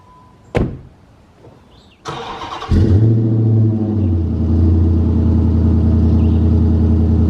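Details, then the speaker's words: 2007 Dodge Magnum R/T 5.7L Hemi V8, abandoned car, cold start with dual exhaust (possibly Flowmasters) and cold air intake: short crank, deep rumble, settles to steady even idle; normal cold start. "this thing sounds pretty good too it's got dual exhaust on it I'm not sure what it's got maybe some Flowmasters"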